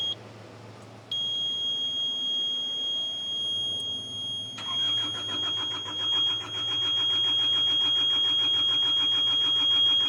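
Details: Hitachi EX55UR excavator that sat for a year with a broken boom, on jumper cables with the diesel gauge reading very low: a steady high buzzer, then the starter churns without catching. Cranks, no start; low fuel suspected, not confirmed.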